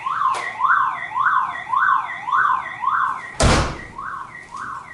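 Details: Car alarm going off after its horn unit was cut out: weaker rising and falling two-tone wail, nearly two sweeps a second, with one thump.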